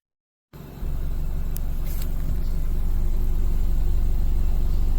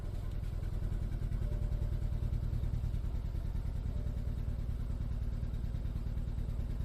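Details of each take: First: 2014 BMW 320i (N20) after replacing the stuck-open cylinder 4 fuel injector and the spark plugs and changing fuel-contaminated oil: engine catches and settles into a steady, even low drone with no stumble or missed beats. No more misfire. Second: 2014 BMW 320i sedan (N20 engine) with check engine light, loss of power and smoke at start: petrol engine idles unevenly, exhaust pulse stumbling and shaking; cylinder #4 misfire, fixed by replacing the fuel injector and spark plugs.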